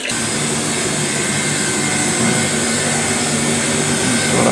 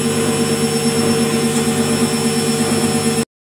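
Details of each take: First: Lux Royal WH 1090 front-loading washing machine spinning at only 600 rpm, after its drum bearing was already replaced: steady, rough grinding roar with high hiss from a worn motor bearing (front 6201, rear 6202), which felt rough when turned by finger. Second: Lux Royal WH 1090 front-loading washing machine after replacing drum bearing and motor bearings (6201 front, 6202 rear): drum spins with steady smooth hum and soft even whine, no rumbling or grinding.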